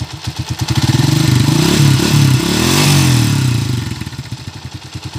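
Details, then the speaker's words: Bajaj 100 in for overhaul (owner was told the pilot bearing needed replacing, but there is none), revved: a sharp tick rides over the firing beat as it revs up and down. Ticking knock of undetermined cause; a leak at the block was also noted. "Lagitik. May meow-meow na konti. Sige pa, boss, tama. May tumatatak."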